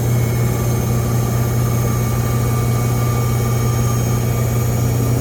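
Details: Brand-new GE front-load washer model GFW850SPNRS in spin cycle: steady loud roar with a thin high-pitched whine; service techs say this is normal for this model and a replacement would sound the same.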